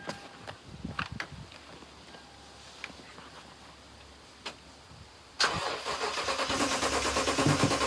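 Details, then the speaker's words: 2010 Toyota Tundra 5.7 L V8, 153,876 miles, ex-police unit sitting about three years: starter spins engine with steady, even churn without catching, even with starting fluid in intake; crank no start, owner suspects no spark. "Even when I sprayed starting fluid directly into the intake, it does not start. I'll hit the key so you could hear it turn over."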